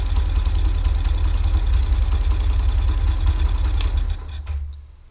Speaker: so you can hear the bike is idling a little high what I want to do is just adjust the screw wait 5 seconds and you'll hear that the engine RPM is